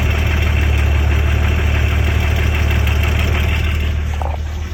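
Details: BMW M50 2.6 stroker engine at idle: dull fairly regular knock about three per second under the exhaust drone; engine knock, cause unknown.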